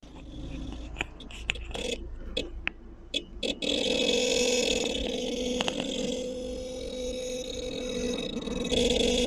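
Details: Seat Alhambra with the engine running, moving or parked: a loud, wavering groan or drone with scattered clicks from the rear of the car; the cause is unknown.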